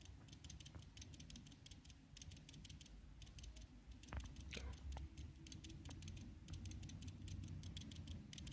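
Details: Xiaomi Redmi Note 4 phone: faint, irregular dry ticking at roughly three per second over a quiet low hum, a clicking from inside the phone with no known cause.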